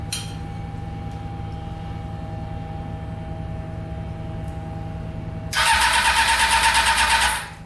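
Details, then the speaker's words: Honda CBR600-engined go-kart with four carburetors, starting once the leaking carbs stopped leaking: cranking, then rough pulsing roar with popping as it spits back through the carburetors; cause unknown. "something's going on in the carburetor here that was weird it's like shooting through the carburetor i don't know what that was about"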